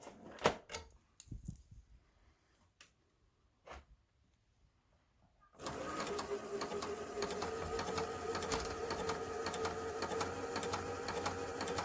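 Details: Kenmore 385-19550 sewing machine after servicing, fixing a twisted part leaning on the shaft and setting the speed adjustment screw to center: light clicks, then even hum and regular stitching patter about three a second; running normally.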